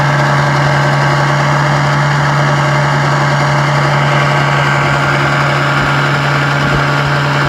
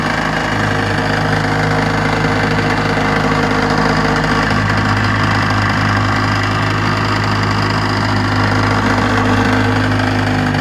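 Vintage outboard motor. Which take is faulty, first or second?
first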